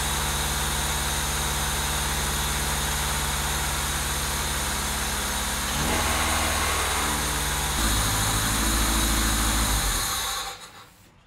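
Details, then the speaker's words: Honda Civic EK with swapped D16A engine, run after fitting a new oil pan and pickup: idles steadily, the note rises and roughens, then it dies after about ten seconds; idle screw was fully closed, O2 sensors later found plugged in wrong. "Okay, just shut off for no reason."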